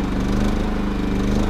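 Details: Three-year-old Champion RV generator, running after refuelling: small engine humming along at a steady, even pace with no misses or knocks; running healthy.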